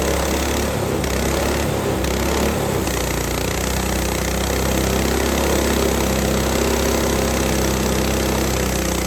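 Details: Lifan 7hp (Honda GX200 clone) single-cylinder on a Frontier OS18 sawmill, fixed from a loose-bolt blown head gasket: steady, even drone through a hard cut in dry ash with a sub-par blade, no misses, knocks or surging; normal under load.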